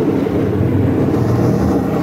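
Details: Alto TX15 active speaker: steady low droning hum with a rushing hiss right after switch-on.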